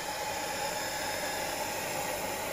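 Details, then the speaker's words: Dyson DC54 ball vacuum with new replacement motor, run assembled without the cyclone: smooth airy rush with faint steady high whine, no rattle or scrape; motor runs healthy. "it doesn't sound too bad actually"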